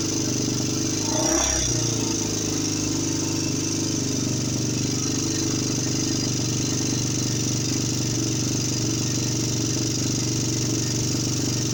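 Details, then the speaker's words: 2007 Honda TRX400EX ATV after 440 big bore top end rebuild, new valves and clutch, not yet hot, valves still to adjust: brief revving then steady even single-cylinder idle, no knocking; sounds healthy, owner notes a tick. "Well, she fired up. It sounds good."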